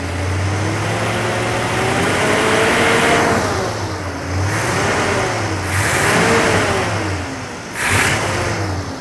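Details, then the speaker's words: Classic V8 after the distributor was adjusted and the vacuum advance set up, timing about 20–24 degrees at idle, rising to roughly 26–28 degrees when revved; several clean blips pick up crisply and settle without stumble; healthy and responsive. "c'est mieux on est juste à [Musique] 20 à 24 degrés je vais monter un peu de régime"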